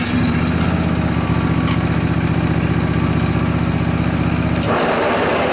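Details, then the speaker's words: John Deere LA145 riding mower, Briggs & Stratton twin Intek, 48-inch deck, cold morning about 35 degrees, blades engaged; even steady chug with rough busy drone on top; worn deck spindle bearings, later replaced. "the customer says it's been making a lot more noise when he turns on the blades so I suspect we have a deck problem"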